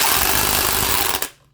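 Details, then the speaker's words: Harbor Freight Bauer corded impact wrench (8.5 A motor, 300 ft-lb fastening torque) hammering: fast, hard rattle for over a second, then a clean stop. Even impacts, fewer per minute than the cordless Earthquake but harder hits. Normal impact mechanism. "I mean, it actually is pretty aggressive. It's a much better impact wrench than those old orange-handled ones are."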